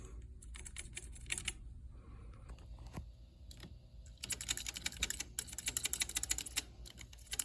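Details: Commodore SX-64 keyboard after trimming new membrane edges rubbing on key posts: bursts of clean, light key clicks at typing pace with no scratching; fixed.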